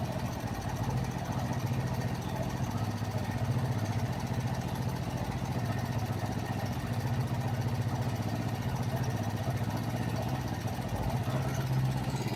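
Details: Kawasaki Vulcan 500 twin after valve adjustment during carburetor synchronization: steady even low beat, no misses or hunting; carbs balanced, clean normal idle.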